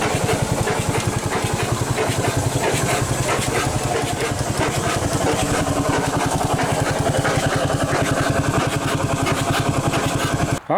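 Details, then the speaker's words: 100+ year old Chicago Pneumatic steam engine/air compressor, first run in decades, with no counterbalance and no exhaust pipes: steady chuffing about ninety a minute with uneven, loose knocking; rough running that the owner thinks is mostly due to timing. "it's a a decent Runner I need some timing work I think that's a lot of our issue"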